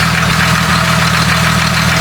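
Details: Jeep 4.0 inline-six, warm idle (head about 200°) with a light, quick tick over the engine that doesn't change from 0W20 up to thick gear oil and Lucas additive; valvetrain/lifter ticking, cause not yet found.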